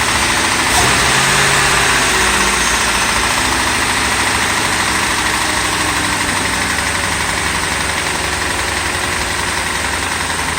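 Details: 2008 Ford Crown Victoria V8, just over 100k miles, at idle: steady knock about three to four times a second over the idle; engine is shot, owner suspects it was run low on oil.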